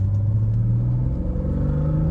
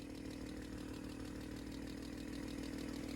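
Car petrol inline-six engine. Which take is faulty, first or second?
second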